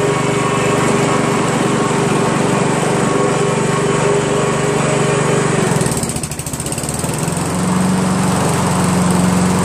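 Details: Honda Harmony HRM215 SX self-propelled mower, GXV140 engine, run at full throttle then lowered toward idle; steady even drone dips briefly as throttle moves, then settles cleanly at new speed: normal running.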